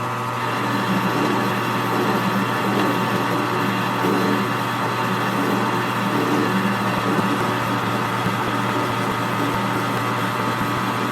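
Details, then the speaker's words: Lathe cutting excavator track tension spring rod parts at 70 rpm with light cuts and lube: a steady, even machine hum with no chatter, after chatter was heard at higher speed. "yeah I think that's doing better I don't hear any chatter at all"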